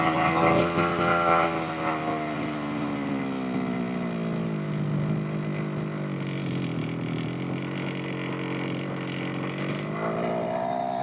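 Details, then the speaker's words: 1/5-scale petrol RC car two-stroke, new to the owner and up-and-down since. After leaning the low-speed mixture, the buzzy tick-over sags and then climbs, never settling low; idle is too high from the mixture setting. "The leaner it is, the higher it will go. So let's just see what that little adjustment's done. Whoa, that's made a big difference."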